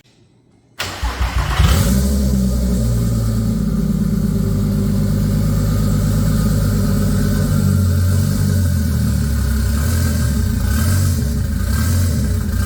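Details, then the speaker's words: MK4 24V VR6 turbo build, first recorded startup after SAI delete, intake now routed through MAF and turbo: cranks and catches, then lumpy uneven idle that hunts slightly; runs rough, owner unsure if just the tune. "obviously it runs a little bit like [ __ ] i'm not 100 if it's just the tune"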